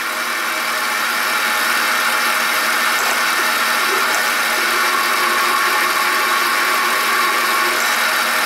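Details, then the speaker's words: Ford F-150 belt drive growl at idle, pulleys checked with screwdriver as listening probe: steady raspy growl with gritty hiss close up at the belt tensioner pulley; tensioner pulley bearing worn. "there's the bad one so it appears to be the belt tensioner pull that's off it"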